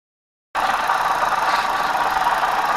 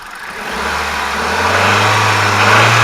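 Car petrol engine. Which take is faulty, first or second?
first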